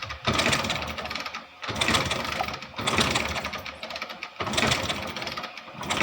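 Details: Hero Splendor Plus Xtec BS6 fuel-injected bike that died while riding, kick-started: kicks about every 1.5 s, mechanical clatter, no firing; cranks but no spark.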